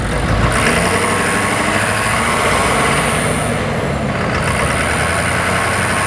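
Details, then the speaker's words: Ford F250 with cylinder 5 imbalance code, hot, no smoke, high idle, heard under hood: constant rough buzz through intake with thin high whine; back pressure pulsing through intake pipe from a cracked intake valve, later repaired. "There's that buzz sound I heard too, so"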